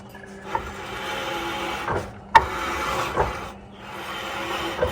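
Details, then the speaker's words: 2014 RAM 1500 rear hub turned by hand with the wheel off: slow gritty rasping with occasional clicks behind the brake rotor, unlike the other side. A bad rear wheel bearing is suspected, a rear-end noise possibly. "to do a test to determine if it's the wheel bearing there's definitely a sound coming from the bearing listen to that"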